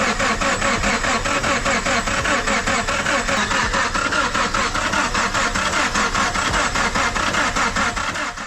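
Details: Subaru with a no-start after a roadside breakdown, cranked after the timing was reset: even starter turning with no firing. A weak tensioner let the timing belt go slack, bending the valves.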